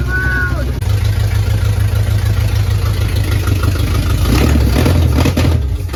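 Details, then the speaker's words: 1977 Dodge Ramcharger 440 big block V8, Street Demon carburetor, first start on open headers with no exhaust: catches and settles into loud, deep rumble at fast idle, pulsing steadily; healthy, good oil pressure, no leaks. "It ran! Outstanding. And no extra fluids on the ground. Yet. Man, this is awesome. I think it was all worth it. It needs exhaust really bad."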